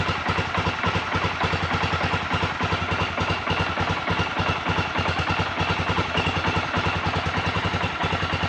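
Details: ATV engine running after fixing a leaking carburetor valve seat, pilot screw not yet adjusted: steady, regular thumping idle at about three and a half beats per second, no misses or stumbles; runs evenly, normal.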